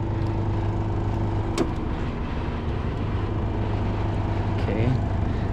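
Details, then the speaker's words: PTAC unit set to 64° cooling with indoor fan on high: steady compressor and fan hum with droning buzz through the casing, because the unit is not secured in its sleeve; cabinet vibration while temperature drops toward 62°. "unit's not secured so that that's why we have some vibration and our temperatures are coming down"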